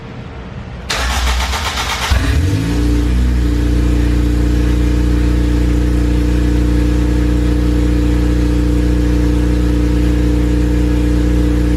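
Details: Honda Civic Si with a K20A engine, first start of the fresh build after the exhaust was built and the wiring harness modified, laptop logging data: cranks about two seconds, catches cleanly, settles into a steady even idle with no knocks or ticks; normal start.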